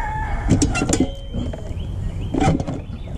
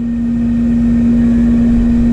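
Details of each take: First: R22 AC condenser (CKL42, 2005) with no cooling, after replacing the capacitor: quiet, then a firm low hum kicks in and holds steady, fan spinning up later; compressor starting and running normally. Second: AC condenser after refrigerant charge, about 75 psi suction and 235 head: steady loud droning tone over even fan whoosh; condenser fan motor bearings don't sound healthy.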